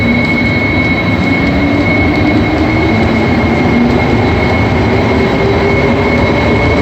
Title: AZUR metro train Set 3 making a weird whistling noise as it leaves each station.